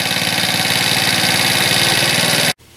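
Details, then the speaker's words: Cheap Chinese ATV after basic battery, compression, spark and fuel fixes: small engine idling fast and slightly unevenly, idle creeping up while warming, so idle will probably need adjusting after about 10 minutes' warm-up. "there goes starting to ramp up a little bit which means we'll probably have to make an adjustment"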